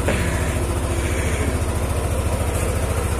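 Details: Yamaha NMax scooter after a no-start repair (fuses checked OK, fuel pump socket reconnected and pump heard running): even, steady low thump at about two beats a second with no misses or knocks, a smooth, healthy normal idle.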